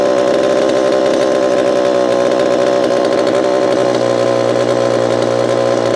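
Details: Repaired Homelite Super EZ chainsaw, boxed about two years after transit damage, on its first test run after reassembly. A smooth, high-pitched two-stroke buzz holds steady at high revs without stumbling or surging; throttle response is instantaneous: normal running.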